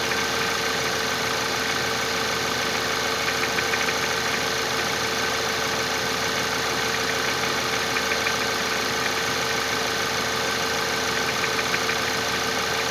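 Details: 1.8 TFSI (CJEB) engine at an even idle with a light metallic tapping, roughly three a second, over the engine noise; a knock from inside the engine, cause undetermined.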